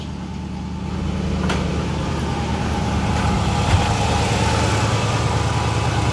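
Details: Cold 1968 Oldsmobile luxury sedan, Rocket 455 V8, 48,000 miles: loping, slightly uneven idle of about three pulses a second; rough idle indicating a misfire.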